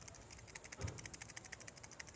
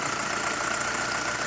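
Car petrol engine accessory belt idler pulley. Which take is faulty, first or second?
first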